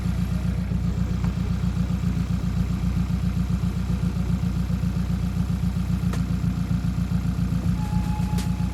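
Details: Hyundai Elantra stock engine with big turbo, idling after replacing broken exhaust V-clamps, checking for exhaust leaks: even pulse about three to four beats a second, no puffing or ticking; sealed, fuel pressure 70, good oil pressure.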